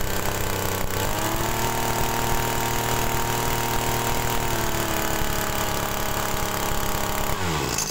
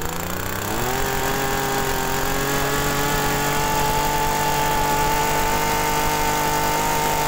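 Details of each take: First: TU26 two-stroke agricultural sprayer engine with a high-fuel-consumption complaint, after carburetor mixture adjustment at mid throttle: a crisp, steady buzz that holds even. The mixture is still slightly rich at mid RPM, which is acceptable, and the engine runs normally. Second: TU26 agricultural sprayer engine with carburettor, complaint of high fuel use, before adjustment: revs climb then hang at a flat strained buzz at full throttle, stalls when throttled down; mixture too rich at high and idle.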